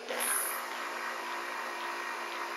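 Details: Late-1970s Kent Bridgeport-clone mill, power feed rigged onto 120 V, running variable speed and rapid: light, steady electric whir at even pitch, no grinding or clatter; the feed traverses normally.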